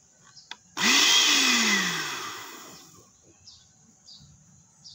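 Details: Automatic blender with a control module: the motor whirs loudly for about two seconds, then cuts out and coasts to silence; it runs only briefly each time, and the module is faulty.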